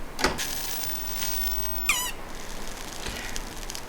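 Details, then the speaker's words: Hantarex MTC9000A arcade CRT monitor on power-up, mic pointed near flyback area: brief rising-and-falling squeak, then cut-out when the power cable is pulled; owner believes the flyback is not the cause; CRT monitor squeal on failed start-up. "So do you hear that little squeak that happened? Um I've got a couple of 900A's that are doing similar things."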